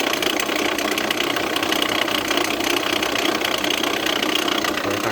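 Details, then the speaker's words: Jeep Renegade 1.8 Flex engine at idle, busy and rough with a loose rattling clatter at about two to three beats a second. It seems close to seizing, but there is no warning light and no power loss. A water pump fault is suspected, not confirmed. "Barulho no motor do Jeep Renegade 1.8 Flex. Dá uma olhada pra vocês aí, galera. Motor na lenta, escuta o barulho."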